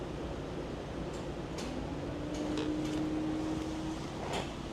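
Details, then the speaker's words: Car being diagnosed for parasitic battery drain: quiet cabin, then a low steady hum for about 1.5 seconds as the windshield washer pump sprays, confirming the green pump-actuation circuit works. "I hear a spray motor. Okay. We had some spray, so the green circuit works. The green circuit is the one to actuate the pump motor, right?"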